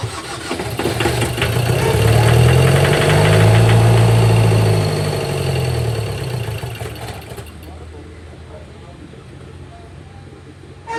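Starter spins the diesel at a steady beat of about four compressions a second for several seconds, but it never fires.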